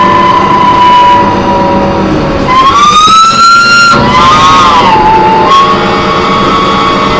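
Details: Loud screech while driving an MTA New Flyer D40LF bus #4088, recorded on board: a steady high squeal near one kilohertz that climbs and wavers as the bus moves; source unclear, brakes or transmission suspected.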